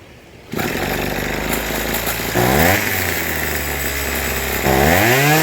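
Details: Troy-Bilt TB2044XP 2-cycle trimmer, warm, after carburetor cleaning, new fuel lines and idle tuning: catches within half a second, settles to a clean idle, revs up twice and returns smoothly; runs properly.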